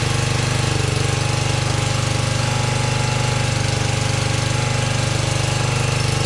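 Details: 1982 LongLife 36-inch lawn tractor, barn find unused for years, running after carburetor needle work, battery suspected dead: fast, even single-cylinder chatter at steady speed, no surging or missing; normal running.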